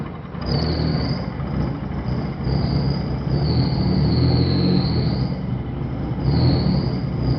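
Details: 1995 Eagle Talon TSi 4G63, 200 miles after timing and balance shaft belt replacement; uneven lumpy idle rising and sagging with faint wandering squeal, backfires and dies, owner suspects jumped timing; compression and coil packs test good.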